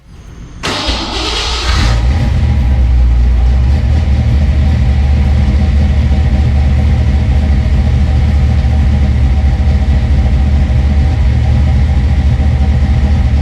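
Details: Fox-body car's V8 just fitted with 170cc SVE aluminum heads and roller rockers, started on open headers with no coolant yet. Quick crank, catches cleanly into a strong, even rumble with no ticks or knocks; a normal, healthy start.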